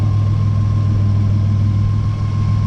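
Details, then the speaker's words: Nissan Navara with replacement VG30 V6 and new turbo, first start: steady, even low idle hum with no misses, ticks or surging; timing about 10 or 20 degrees, possibly a slight buzz; normal idle. "well it sounds really good I'm really excited so I better turn it off actually Oh beautiful okay is pretty much spot-on"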